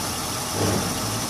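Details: 2001 Honda Odyssey 3.5 V6 with about 570,000 miles, code P0304 and the cylinder 4 coil pack missing, idling while warming up: uneven, lumpy idle with a missing pulse. This is a single-cylinder misfire.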